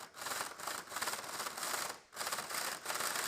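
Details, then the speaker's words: Older slot car run on track, raspy buzzing with fast tapping chatter as tyres hop; tyres too small or lifting away from the rim, needing tyre truing. "you can physically see that jumping around that that's when you know these tires are a maybe too small or they're starting to lift away from the rim"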